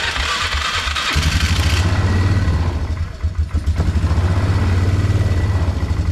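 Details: 2004 Polaris Trail Boss 330 ATV bought at auction, water in fuel system, float bowl drained, started on mediocre battery with charger; catches into low, slightly uneven single-cylinder thump that firms up and gets snappier, runs acceptably, carburetor may need more work.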